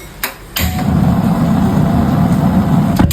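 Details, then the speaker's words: Gas stove with a worn brass burner that is holed and no longer precise: a sharp pop, then a loud, low fluttering roar for about two and a half seconds; replacing the burner made it normal again. "bikin ngagetin banget kan solusinya gak perlu ganti kompor atau bawa ke tukang servis cukup beli burner Kuningan kayak gini aja nih harganya juga terjangkau Nah ini dia barner yang udah rusak bentuknya udah bolong dan tidak presisi lagi"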